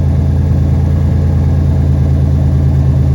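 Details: 1991 Buick idling after the backwards fuel filter was reinstalled correctly and the pump primed, no leaks. Low, even idle hum with a steady beat and no stumbles or misses; idling cleanly.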